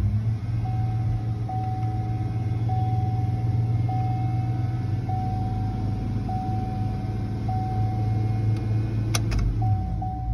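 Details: 2007 Chevy Tahoe 5.3 V8 idling at about 2000 rpm after dirty throttle body cleaned (TPS code): steady raised idle hum with dashboard chime beeping once a second; idle not relearned, needs scanner idle-learn reset.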